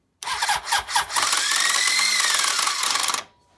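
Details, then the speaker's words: Early-1980s Honda (CB750/CB900/CB1100) starter clutch failure: a few chuffs as the engine turns over, then the starter whirs freely at high pitch without turning it; the starter clutch is slipping, a known weak point of these models. "so you've heard the awful sounds that the starter motor can make on these Hondas and it is the weak point of the cp750s the cb-900s and the CB 1100s of the early 80s and I'll explain why"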